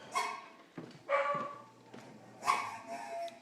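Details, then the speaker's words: Garage freezer, fairly empty: loud, irregular, dog-bark-like yelps, about three bursts in three seconds over near silence, coming from the compressor; cause unknown. "for some reason the compressor is making the noise and it literally sounds like a dog barking"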